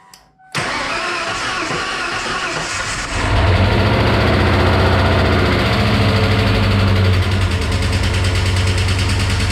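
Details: Ford Bronco 302 (5.0L) V8 with ZF5 manual, first start after regasketing, oil primed by cranking with fuel pump relay out and oil pressure confirmed: brief cranking, then it catches at once and settles into a steady, even idle that lifts slightly. Starts and runs fine.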